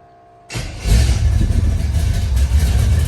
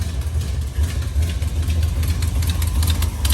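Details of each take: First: Carbureted V8 truck, carburetor primed, first start: short crank then it catches and settles into a steady low rumble at fast idle; starts and runs normally, with known exhaust and valve cover leaks. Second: Truck's carbureted V8 just started for the first time: a deep, uneven idle rumble with a faint puffing tick from a known exhaust leak; valve covers also leak.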